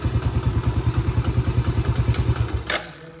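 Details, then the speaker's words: Yamaha Vega ZR motorcycle idling smoothly with an even low pulse and no whine, then shutting off, after the rough whining engine was fixed by rewinding the stator coil (spul) following crank bearing replacement. "Suaranya sama saja motor tetap halus. Berarti motor ini sudah sembuh. Alhamdulillah suaranya sudah halus ya."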